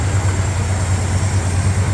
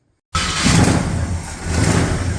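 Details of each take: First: Cold 1965 Ford Fairlane, rebuilt 1978 302 V8, choke adjusted, off fast idle cam at about 1,000 rpm while warming up: steady deep even idle, no misfire or stumble, barely shaking; aftermarket balancer still suspected for earlier shaking. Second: 1965 Ford Fairlane with a recently rebuilt 1978 302 V8, first cold start after carburetor work, engine not yet warm and fast idle not yet set: it catches, then the revs sag and hunt before a low, lumpy idle; needs more choke and the idle is a little low.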